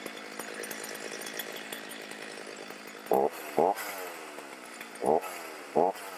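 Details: Stihl MS310 chainsaw on a cold start after no-start repair with no parts and rakers corrected, cutting wood: even steady buzz picking up cleanly in short throttle bursts, no stumbling or bogging; healthy.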